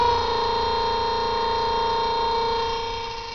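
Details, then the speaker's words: Antique two-pole Crocker-Wheeler 1/6 hp DC motor (115 V, 1.75 A, 1600 rpm, patent date 1891) on about 115 V from batteries runs with a steady, even hum; most noise comes from one brush, the other is quiet. "series starts right up and runs great can't figure out why cu vast majority of the noise is coming from this brush can hear how quiet the other brush is"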